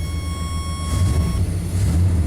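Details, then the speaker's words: 1988 Chevy K1500 idling right after starting, following repair for an intermittent fault, in wet rainy conditions. Steady, even low rumble with no misses, knocks or stumbles; a smooth, healthy idle. "Oh, that's smooth."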